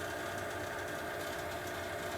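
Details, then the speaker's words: Bryant furnace/AC blower motor with doors off, safety switch taped; the capacitor was already replaced, and the motor soon overheats and shuts down: an even hum with a fast, rough buzzing rattle, typical of worn blower motor bearings. "an see, there's a lot of noise coming from back there. In a few minutes here, this thing will basically overheat and shut down, and I'll show you the sound it makes."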